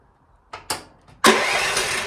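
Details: Chinese EG360 skid steer (about 160 hours) with a starter issue that sometimes only clicks: a couple of short clicks and a brief crank, then the engine catches cleanly and settles into a steady, even run; normal start.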